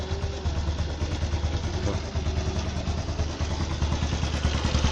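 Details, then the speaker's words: 110cc motorcycle single-cylinder engine after carburetor idle and air-screw adjustment, steady even low putter at idle with no misses, hunting or surging; normal idle. "Nah ini hasil setelan kabilator yang tadi saya peragakan hasilnya begini"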